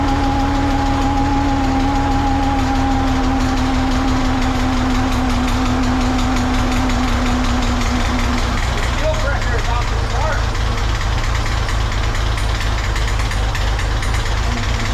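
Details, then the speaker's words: 1963 Corvair engine after a fuel system update, first start with the fuel pump installed: rough uneven clatter under the idle with a sagging whine, caused by a stuck fuel pump push rod that would not come out. "Super sad about that. It did not sound good."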